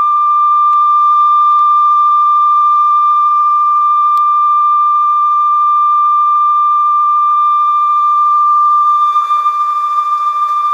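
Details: Conion CRC-H84 cassette recorder after belt replacement and lubrication, checking tape speed and wow/flutter: a clean, steady single tone with no wavering or pitch drift, so tape speed is normal.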